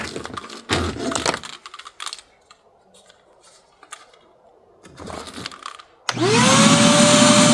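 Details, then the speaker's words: Vacuum cleaner used to clean mice mess from a Ford Transit van in cold winter, had died previously: spins up into very loud high whine with heavy rushing air; excessively loud running, cause not evident. "आप इसे सुन सकते हैं क्योंकि यह तेज़ है, यह बेकार भी नहीं लगता है"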